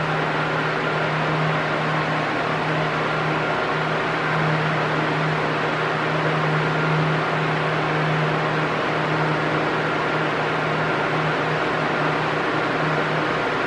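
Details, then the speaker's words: Arno Silence Force 40 cm fan at maximum speed: a loud but perfectly even whoosh with a steady low hum and no rising or falling. This is normal; a sound that oscillates loud and soft would indicate a fault. "Se o barulho tiver igualzinho, hum, não tem problema. É normal mesmo. Ele faz um barulho alto no na na velocidade máxima, né?"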